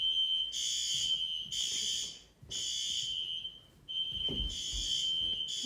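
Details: Fire alarm system test: shrill, high buzzing horn in steady bursts of about a second and a half with short pauses, alongside a red strobe; the horn works properly.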